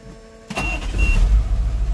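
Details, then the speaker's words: 1988 GMC 7000 with a naturally aspirated 8.2L Detroit diesel that shut off while driving and wouldn't restart even after fuel filter changes. Now, after step-by-step troubleshooting, it catches with a deep, steady thrum; normal start. "whoo listen to that Detroit power"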